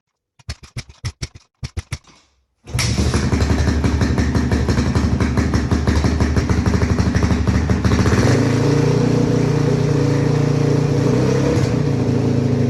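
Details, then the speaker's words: 2005 Honda CRF450X, stored about 10 years, kickstarted after fixing fuel tank leak: a few kicks, then the single runs ragged and choppy before settling into uneven idle; carburetor problem, later fixed by carb tuning. "yeah something's definitely not right with that carburetor if you recall it was basically doing the exact same thing on my 400 so I'm going to have to figure that out real quick"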